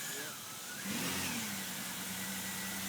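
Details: 2002 Chevrolet Impala, about 209,718 miles, that made a loud noise at a gas pump and then wouldn't move: revved in Drive, a steady whine climbs and holds but the car won't move; suspected failed transmission.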